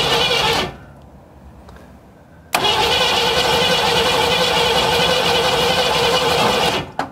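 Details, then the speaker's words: 1957 Chevy Bel Air sitting since 1985, first crank attempt with known wiring issues. Starter spins the engine freely at about three beats per second, turning over better than expected, but it never fires; cranks but no start. "yeah it's turning over really good a lot better than i expected"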